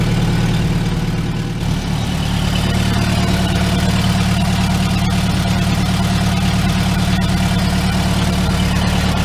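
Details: 2002 VW Gol with a deteriorated starter motor and broken harness connectors (phase sensor, ignition coil, coolant temperature sensor): steady, even low idle with no misfire or stumble.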